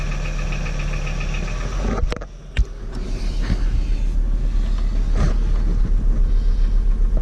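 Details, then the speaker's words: VW T4 2.5 AAF engine knocks steadily, about three to four per second, with a deep heavy rumble, louder under load; revs freely with no problem above 3000 rpm; unplugging spark suppressors one by one failed to locate the knock. "Ah, ça cogne toujours, hein. Sinon on entend qu'il prend très bien les tours et au-dessus de 3000 il n'y a aucun problème. Oh. Quand on est en charge, on entend beaucoup mieux."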